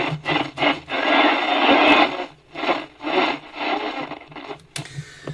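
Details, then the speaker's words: Philips P3G38T all-transistor car portable radio: scratchy crackle and rushing noise bursts out each time the volume knob turns, then goes quiet. The volume potentiometer is dirty and noisy. "That noise, Keith, is the volume pot, mate. That is screaming."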